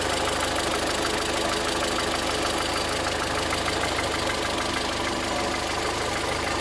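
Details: VW Voyage 2013 with EA111 engine at idle making a strange noise: a fairly regular light tapping, about three knocks a second, over a steady hum; engine knocking, cause unknown.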